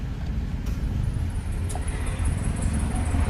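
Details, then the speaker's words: Nissan Almera three-cylinder, after fixing rough running with check-engine light (injectors tested, no leaks; fault codes cleared): steady, even low hum at idle with no stumbles or misses; idling smoothly and normally. "นี้เดินนิ่งแล้วนะที่เดินนิ่งปกติแล้วนะครับ"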